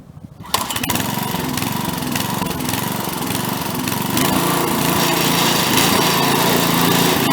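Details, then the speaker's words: Craftsman tiller: it catches, then cycles badly with uneven speed as the governor kicks in and out, before a carburetor screw adjustment; engine surging, cause suspected but not confirmed. "Okay, so if you notice in the video, it was cycling pretty bad. So what I did was I ran it at full speed and made some adjustments on that screw right there."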